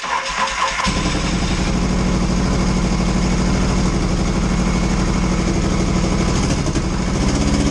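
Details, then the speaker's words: 1982 Yamaha XS650SJ twin on a lift, choke on, low on fuel, first test fire after battery refit (dead battery suspected for earlier no-run): cranks briefly, catches, settles into slightly uneven low choked idle, steady putter; runs fine. "okay good test um yeah not a lot of fuel in it didn't want to run it too hard"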